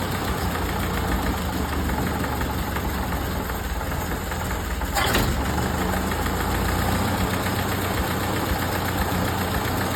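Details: 1931 late Model A Ford coupe with a new Snyder 5.5 head, first run after a full engine teardown, carburetor mixture valve being adjusted: steady, even low idle with a brief puff of noise midway; the mixture sounds right and it runs smoothly.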